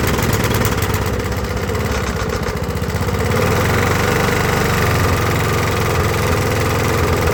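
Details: About 20–25-year-old Briggs & Stratton push mower after carb clean, new carb gaskets and new head gasket: labouring, missing putter that rises only slightly and never reaches full idle rpm; engine won't come up to speed, though much improved over before.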